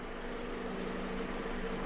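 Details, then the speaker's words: 2001–05 Honda Civic EM2 D17 engine after valve adjustment for misfires, not yet warmed up: quiet even idle hum, no misses or ticking; vibrations from blown motor mounts; no misfires. "hey no misfires but we're not nearly warmed up yet and the vibrations are from the blown out motor mounts"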